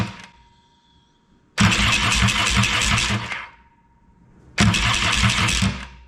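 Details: Yamaha XS650 after a grinding-starter fix (starter gears behind the clutch, split washer, dished washer and circlip reinstalled): two clean, even bursts of starter cranking, about two seconds each, with no grinding or clashing. The starter now engages normally.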